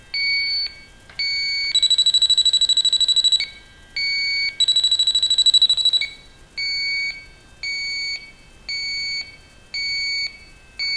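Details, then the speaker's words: Viking Professional wine cooler, sniffer at copper evaporator: repeated high beeps and rapid warbling bursts picking up freon traces (possibly from blown-in insulation); pressure dropped within 10 minutes, leak detector alarming at refrigerant leak. "sometimes you'll be picking up uh traces of freon from the blown in insulation that they use when they build these things so the pressure is already gone down within 10 minutes so we're picking up traces up here over here"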